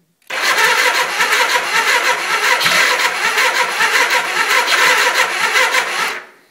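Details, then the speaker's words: 1979 Suzuki GS 425L after carb rebuild, battery only partly charged: about six seconds of sluggish starter churning that never catches and fades; slow cranking, weak battery suspected. "it doesn't really seem to be turning it sounds like it's trying a little bit"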